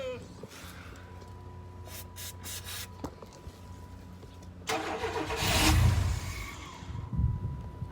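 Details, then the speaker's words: Chevy K1500 truck that sat for years, cranking with starting spray: quiet stretch, then a short burst of cranking that nearly catches and dies; no fuel reaching the engine. "Okay, we installed the fuel pump relay. We still don't have any fuel"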